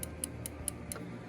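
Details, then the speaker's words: Honda XR650L brake lever after bending the brush guard so it no longer presses the lever. Crisp light ticks, about four clicks in a second and a half, as the brake switch engages cleanly with each pull; normal. "and have plenty of room at the lever, so it's not going to give it a false brake setting. You can hear the click of the switch activating,"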